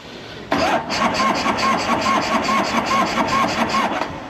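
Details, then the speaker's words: 1984 Harley-Davidson FLT Tour Glide that ran the day before, fuel enricher on: even starter churn at about five compressions a second that never catches; cranks but won't start, owner suspects lost spark in the 40-year-old ignition. "it's funny ran great yesterday somebody commented about the 40-year-old ignition system well it appears I've lost spark"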